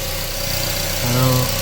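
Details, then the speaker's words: 2006 Mazda NC MX-5 Miata, 186k miles, after replacing the power steering pump with a new gasket: steady, even idle with a low smooth hum, no whine or groan from the steering pump. Much quieter than before; normal idle. "Okay, we are gonna start this up. Oh, it's so much quieter. Oh my God, it's awesome."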